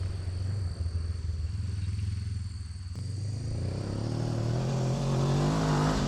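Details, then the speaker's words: 2018 Honda CB500X parallel twin on a test ride after clutch and oil pump chain replacement, burning spilled oil off the exhaust: pulls away cleanly, even exhaust beat rising smoothly with speed, no clatter or slipping; engine and clutch healthy. "Other than that, it looks like it's running okay, and the clutch is working good."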